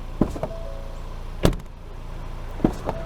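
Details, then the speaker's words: 2023 Ford Bronco Everglades frameless front door pulled open fast, three times: dull thump then brief glassy rattle and squeak as the window catches on the seal; may loosen the window over time. "over time this might loosen the window I can hear it rattling every time I open the door so if I own this truck I would try to open it as slowly as possible"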